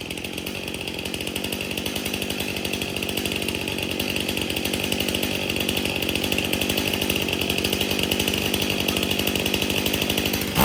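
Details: Stihl MS 271 chainsaw, previously hard to start, after tank found clean and fresh mixed fuel added: crisp, even two-stroke firing with no misses or sputter, clean steady run; saw idles and revs normally.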